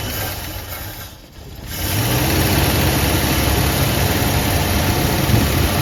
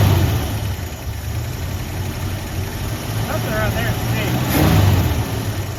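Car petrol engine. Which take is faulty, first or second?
second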